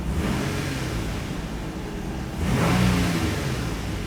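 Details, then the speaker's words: 2002-2006 Nissan Altima just after fuel pump module replacement: slightly hard start from air in the fuel lines, then smooth idle that picks up cleanly on a throttle blip and settles back, with no misfire. "all right that's started a little bit of a hard start but that's normal like I said there is air in the lines so we'll let this run for a little bit let it circulate that fuel"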